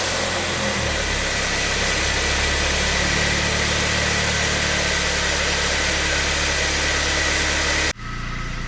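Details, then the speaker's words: 2012 Kia Sportage 3, G4KD engine, 76,000 km, first start after a rebuild for scored cylinders and knocking: steady, even idle with a smooth regular beat, no knocks or ticks; runs fine, checking for leaks underneath. "работает все отлично посмотрим снизу утечек"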